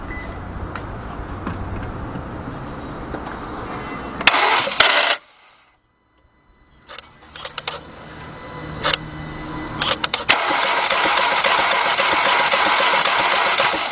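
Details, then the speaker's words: Cranking a 2.0 VW/Audi engine during a compression test: quick, light, even cranking at about four turns a second with no compression strokes. The gauge didn't move, showing zero compression; the rear timing chain is suspected. "This is not good at all, which means we got no compression whatsoever."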